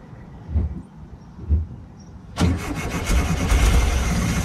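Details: 1968 VW Bus after carburetor reinstall, in neutral: a few slow cranking thumps, then it catches briefly with gas into a rough, uneven rumble that never idles cleanly; accelerator pump not acting right, float part suspected, fuel delivery problem.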